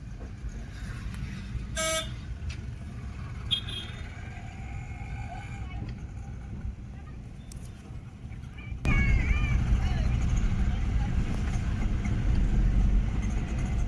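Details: Maruti Suzuki Eeco being tested for misfiring and backfiring: it isn't backfiring now, but it misses heavily and shakes with rough, uneven low rumble. It stalls over bumps. Plug or coil suspected.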